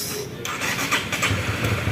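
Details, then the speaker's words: Honda CB150R after repairing a broken ECU wire on the TPS circuit that set blink code 8 and a dead starter, on a jumped weak battery: starter whirr, then the single catches and settles into a steady, even run; normal start. "Ya. Ini jalan ya, teman-teman. Ini sudah normal ya."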